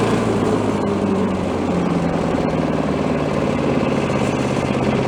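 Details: Troy-Bilt chipper vac small single-cylinder engine, freshly fueled, carb O-ring still missing: runs at even steady speed with no misses or knocks; running smoothly.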